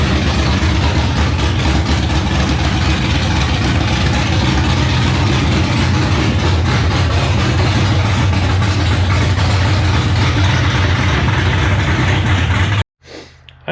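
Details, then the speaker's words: First start of LQ4/LS3 engine build in the car, aftermarket throttle body, TPS just set: loud V8 idle sitting too high with a lumpy, uneven beat that never settles; rough idle, cause unclear, needs more adjustment. "oh that was a little high again all right sounds like we got some more work to do"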